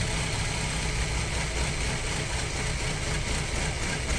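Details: Audi A4 B6 with the 2.0 ALT engine, cold start, as idle drops to low revs: rough, uneven low thumping that shakes the engine. Camshaft phaser suspected; knock source unconfirmed.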